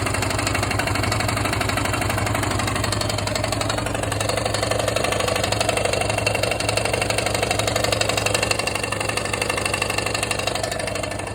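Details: Yamaha XT/TT600 single idling with a new piston and renewed Nutenstein: a steady mechanical tapping knock of about four per second rides over the idle; cause unknown, owner asks what else it could be.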